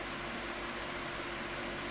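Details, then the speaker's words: 2002 Midea 16-inch oscillating pedestal fan with mesh grilles, before restoration, on medium speed: steady, even whoosh of air with a faint low motor hum, no rattles; a step up from low, running normally. "it's a little step up from low um in terms of airflow I think it's moving enough air to a point where I would say it's it's in the realm of powerful but I expected a little bit more from it"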